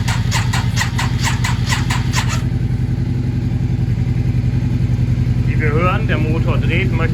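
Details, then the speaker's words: Yamaha XV 535 barn-find motorcycle, first start after 10 years, with fresh fuel and jump-started from another motorcycle on the third attempt. The starter churns steadily at about three to four turns a second with enough current, but the engine never fires. "Es kommt genug Strom zum Starten, aber sie springt nicht an."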